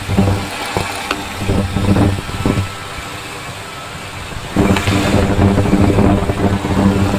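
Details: 2000 Ford F-250 Super Duty 5.4 L idling with intermittent rough idle/miss, each fuel injector heard through a PEX pipe stethoscope: quick even tick, all alike; injectors opening and closing normally.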